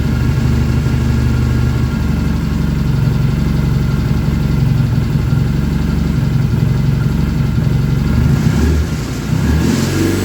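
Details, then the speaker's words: BSA twin engine freshly rebuilt, first start: steady even low idle thump with a slight dip near the end, no knocks or rattles; good oil return flow, oil-pressure light out, charging shown. Normal idle. "try to get that dialed in a little better and uh but yeah the engine sounds really nice"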